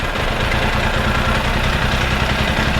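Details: Benelli 899 TNT motorcycle with check-engine light on, diagnosed without scanner; low lumpy uneven idle with dropped pulses while one ignition coil is unplugged, so that cylinder goes dead; coil tester shows the coil itself working.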